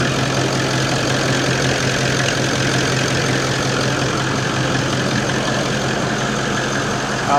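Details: Toyota 79 Series LandCruiser diesel, warm with thermostat open, idling after turbo replacement, before the first drive: smooth, steady clatter with no whistle or knock; runs healthy.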